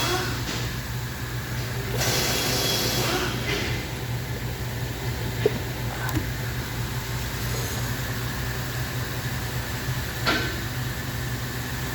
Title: Ford F-150 2018 Engine misfiring when cold starting.